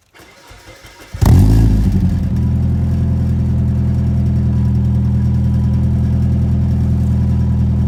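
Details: 1993 Nissan 240SX project car needing radiator, thermostat and belts: brief crank, catches with a rev flare, drops to steady low idle with no obvious knock or tick; normal start-up.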